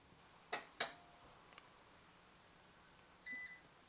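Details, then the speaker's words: Fronius solar inverter with BYD HVM battery restarting after a complete system isolation; two sharp relay clicks, a faint tick, then one short high beep; normal startup sequence, ending in solid green power light. "So now you can hear the inverter making some noises. This is completely normal. This is the inverter firing up. You'll hear it make a couple of clicks."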